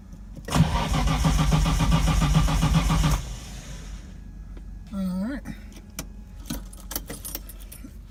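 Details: Datsun 240Z with RB20DET swap, after cleaning the injectors: a short burst of fast, even cranking near four turns a second stops with no firing; still cranks but won't start.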